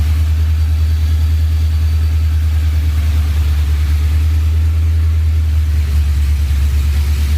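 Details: Ford SVT Lightning V8 with 3.4L Whipple, forged block, stock crank, ARP studs, new oil pump, and new bigger heads and cam after the rebuild. It needs some throttle to stay idling, then the lumpy idle hunts up and down, attributed to the cam and heads.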